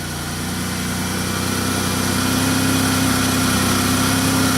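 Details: 2001 Pontiac Bonneville V6 with check engine light and misfire complaint, on a 42-degree day: idles smoothly with an even, steady hum, no chugging or skipped beats, firing on all cylinders.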